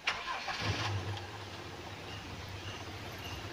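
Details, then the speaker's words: 1997 Toyota Kijang LGX heard from inside the cabin: a brief crank catches quickly into a smooth, steady low idle with no knocks or rattles. Normal engine start. "mesinnya dari dalam ini suaranya adem enak"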